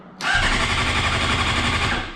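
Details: Salvage 2015 Honda CBR 600RR, 8,831 miles, oil checked; starter spins engine briskly with even chuffing for about two seconds but never catches, no fuel pump prime because the tip-over sensor is unplugged.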